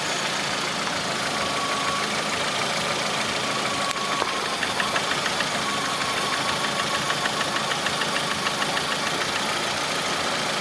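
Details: Lada Priora with 21126 engine: steady idle with a light, fairly quick, slightly uneven metallic tapping on top; engine knock at idle, source unclear.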